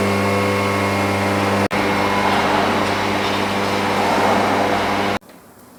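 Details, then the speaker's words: 2001 Audi TT Coupe 225 with BAM engine, after a drive to its MOT test that began with misfiring; steady, even idle with constant low hum and no knocks or misses, cut off abruptly near the end. "Beautiful. [Music] Absolutely lovely. And brilliant at idle as well."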